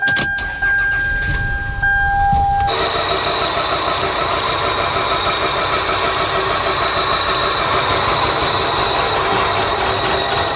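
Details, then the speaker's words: 1999 Toyota Camry 2.2L four-cylinder, codes P0300/P0301/P0302: after start-up it idles very rough, cylinders 1 and 2 not firing (confirmed cold by thermal camera), two separate causes. "ahead and just start it up and confirm it is running rough [Music] and it definitely is"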